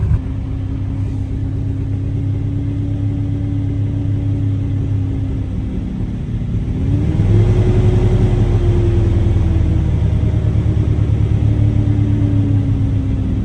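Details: Chevy S10 with weak fuel pressure reading, throttle being feathered: engine speed sags, picks up, then drifts down, barely staying running; owner suspects a bad fuel pump or fuel injectors, not confirmed.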